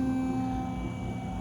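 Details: Old GMC Sierra 1500 pickup, hydraulic tilt lowering: steady low flat drone that strains, pump slow and laboured; owner suspects the battery or that the hydraulics are very cold, not confirmed — sluggish hydraulic pump.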